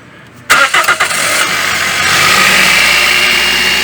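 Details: Toyota Etios first cold start, filmed in the area where it used to make noise, after the belt tensioner was replaced; short crank, clean catch, steady idle with no squeal or rattle: noise gone.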